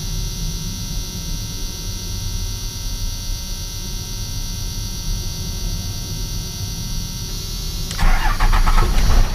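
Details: Cummins diesel after starter system upgrade with new starter, replaced cables, extra engine-block ground and fully charged batteries: deep, quick, even cranking with strong starter spin, catching cleanly near the end; normal fast cranking.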